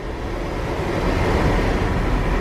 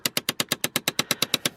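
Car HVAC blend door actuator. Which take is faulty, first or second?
second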